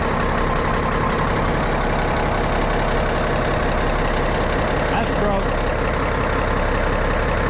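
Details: 637 scraper, long-sitting machine, after repaired switch reinstalled: heavy diesel ticks over steady and even at idle, no knocks or misses, smooth low rumble while tractor builds air; normal idle.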